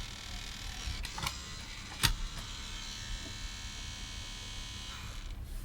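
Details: Disc player, eject pressed: steady thin electric whir for about four seconds with a few clicks, then cuts off as the tray motor runs.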